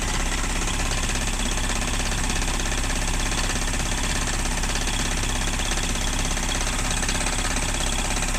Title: 1994 Miata rod knock..?